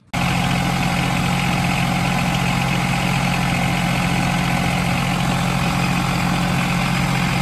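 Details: John Deere 2210 subcompact diesel tractor, after replacing the hydrostatic transmission cooling fan, running with the fan shield still off: steady even idle with a constant low drone and no knocks, rattles or scraping.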